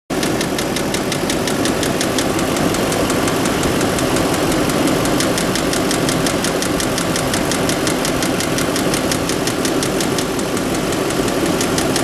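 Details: Audi A8 at idle; sharp even ticking about three times a second over steady idle, a knock from inside the engine, cause not pinned down.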